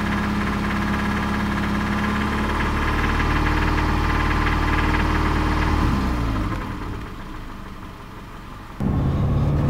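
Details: 2005 Subaru Impreza RS 2.5 boxer engine idling with a steady deep knock about four per second over the low drone; research and mechanics said rod knock, suspected, not confirmed.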